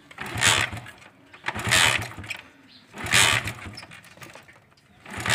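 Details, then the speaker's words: Honda CD70 motorcycle with the switch on, kicked four times about every 1.5 seconds, each a short churn with no firing; no-start. "The switch is on at the moment but when we will kick start this bike, it will not come to start."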